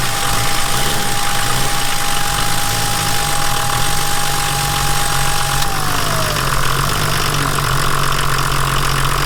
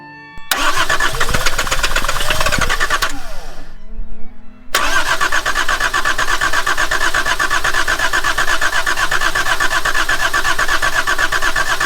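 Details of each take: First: Volvo 740 D24t turbo diesel, revived after sitting, injector lines retightened and fresh diesel supplied: steady, even clatter, smooth rhythm with no knocks, idling a little high. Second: Volvo 740 with D24t turbo diesel, abandoned, running on fresh fuel fed from a separate supply after lines were cut off the filter: cranks, stumbles, then catches with an uneven knocking beat; injector lines found cracked, leaking fuel.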